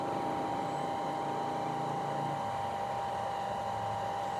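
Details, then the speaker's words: New Shimizu PL-122 BIT shallow-well water pump, copper-wound motor, first run after priming: steady, smooth electric hum with a fixed tone and faint water noise, no rattle or grinding; healthy pump. "Suaranya halus sekali ya. Nah, ini dia mulai ngisi."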